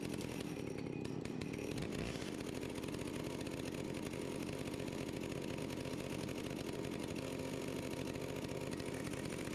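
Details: Stihl 041AV anti-vibration chainsaw, 28 in bar, sat at least 5 years, cold start at about 37-38°F after stop switch cleaning, choke off. Quiet, even two-stroke patter holding a steady idle with no stumbling or hunting. Normal idle.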